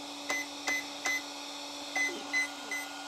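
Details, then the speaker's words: FS Racing 53632 RC car ESC programmed without a program card: three short high beeps, a pause, then four more, confirming value four for low-voltage cutoff, 3.0 volts per cell, changed from 3.2 volts per cell. "there we go four so now i've got a value of four for this parameter and 4 is what we want it to be which is 3.0 volts per cell"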